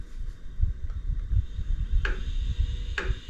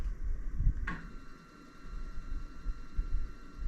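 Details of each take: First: iOptron GEM28 telescope mount slewing at high speed setting 9: lumpy low rumble with sharp clunks about once a second; minimal at slow speed; owner suspects backlash preventing PHD2 RA calibration. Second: iOptron GEM28 telescope mount slewing at slow speed: faint steady high motor whine, minimal noise and no clunking, unlike the clunking at higher speed that coincides with failed RA guiding calibration.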